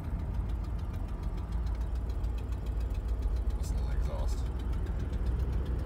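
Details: 1990 Oldsmobile Custom Cruiser 403 engine with 200-4R transmission, fourth gear with torque converter clutch locked up at low speed; deep labored rumble with slow uneven throb as the engine lugs, converter engaging too early.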